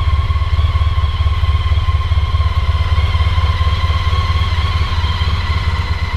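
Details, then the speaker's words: Honda ST1300 motorcycle with stock standard Honda exhaust pipes: deep, even exhaust thump at a steady idle, no misses or rattles; normal idle. "As you can probably hear, it's still a bit cold, so it's revving a bit high. So this is running at about 2000 RPM."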